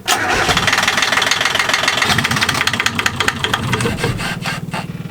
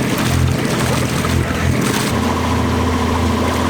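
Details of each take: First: Liveaboard sailboat diesel with diesel-contaminated oil, after bypassing the old lift pump for a new electric fuel pump and an oil change; cranks, catches, then falters and stalls because the fuel valve was left closed, then runs once it is opened. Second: Liveaboard boat's diesel engine after oil contaminated with diesel, old lift pump bypassed with new electric fuel pump, multiple oil changes: even steady chug with no hunting or missed beats, water and hull noise behind; normal healthy running.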